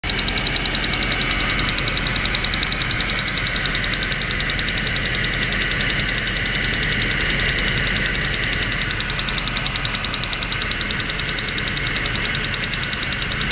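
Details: Land Rover Discovery II V8 running: loud, fast, steady ticking, several clicks a second, started suddenly; owner says not lifters and suspects upper manifold or a switch/valve, unconfirmed.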